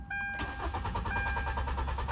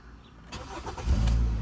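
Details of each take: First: Car labelled a 2010 Nissan Versa but called a 2013 Hyundai Tucson in the talk, codes P0076 P0079 P0445: steady starter cranking, about three turns a second for four seconds, never fires; no fuel, missing injector fuse. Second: Car labelled a 2010 Nissan Versa but called a 2013 Hyundai Tucson in the talk: after refitting the three missing fuses, a short crank, then it catches and settles into a steady low idle within a second; starts cleanly now.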